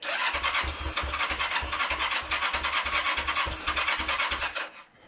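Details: Kawasaki ER5 under restoration, not run for 7 years, tank remounted with fuel: starter whirrs with even compression pulses about three per second, engine never catches and stops; cranks but won't fire.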